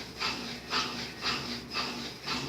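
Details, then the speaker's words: Brastemp 7 kg washer with heating, previously condemned, running after only a capacitor replacement fixed the growling motor: even, rhythmic swishing about twice a second with no growl or roar underneath; normal washer operation. "tá aí a máquina funcionando perfeitamente e a pessoa não vai precisar jogar na máquina fora aí só o curso do capacitor a máquina funcionando perfeitamente tá bom"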